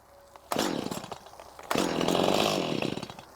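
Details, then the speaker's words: Stihl chainsaw about 1–1.5 years old that randomly stops, restarted after freeing a jammed chain: it fires and revs briefly twice, then sags and dies each time even on choke, appearing to starve of fuel; cause unknown. "it runs for a second and starves itself out and it won't stay running I put it on choke just won't stay running"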